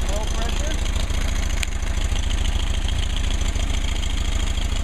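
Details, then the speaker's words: 1959 Mercedes 190c engine on test during final tuning: steady, even low idle with a faint light click judged acceptable; temperature stabilizes as thermostat opens, timing 38° max total advance; normal idle. "nice idle sounds good sounds good"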